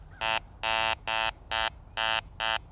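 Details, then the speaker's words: Garrett ACE 400i metal detector over a junk-iron target: short, low, buzzy tone bursts repeat about twice a second, with a low target number. This is the iron target tone. "has the low number and the sound of iron"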